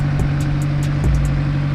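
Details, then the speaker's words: Honda S2000 AP1 after an engine refresh and valve job, valves adjusted to OEM spec: a normal warm-up idle with a smooth, even hum and no valvetrain ticking, only a few light background clicks. "Letting the car warm up as usual. But you guys can hear it, it's very, very smooth. Everything is done, the valves are adjusted."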